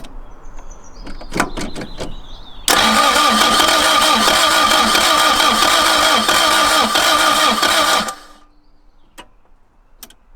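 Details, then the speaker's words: Toyota MR2 Mk1, project car, first start attempt: starter spins the engine steadily for about five seconds but it never catches, and no fuel pump is heard; owner suspects a dead fuel pump; cranks but no start. "No. Not having it, brother. There's no fuel pump, no, that's the worrying thing. I don't hear a fuel pump at all."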